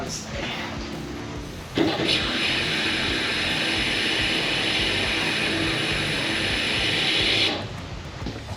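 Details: 1989 Foxbody Mustang restomod with Coyote, 340 lph Aeromotive fuel pump, adjustable regulator, 6AN lines, first tank fill in 20+ years: steady high hum for about five seconds then cuts off; pump running normally, about 59 psi.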